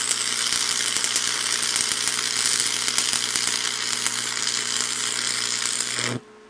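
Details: Lincoln tombstone stick welder found discarded roadside, new stinger, improvised ground clamp, 6011 rod at about 135 A: steady crisp frying crackle over low transformer hum until arc breaks; healthy, stable arc.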